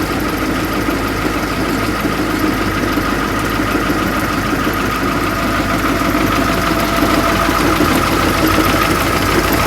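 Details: Transit Liner bus diesel idling, idle raised slightly: steady gear whine and chatter over the clatter from fan hub; fan bevel gear mitre box suspected worn, belt and pulley issues also noted.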